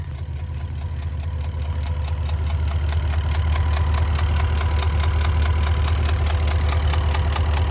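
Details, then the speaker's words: Porsche Cayenne (Turbo) V8 with 240k mileage, idling: a sharp, steady metallic ticking over a low rumble, heard through an opening. It has reportedly run 30k like this and may be sleeved (unverified). Engine ticking at idle. "Нормально он думает, шлепает. Неплохо. При условии, что он цокает."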